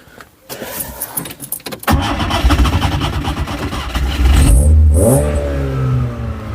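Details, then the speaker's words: Skoda 120 with Rover K-series 1.8 16v, after throttle linkage fix, choke turned off and throttle wound up: lumpy slightly uneven idle rising with throttle, running a bit rich with black smoke; throttle slow to return. "Running a bit rich. We did think that before though. Chucking out a bit of black smoke."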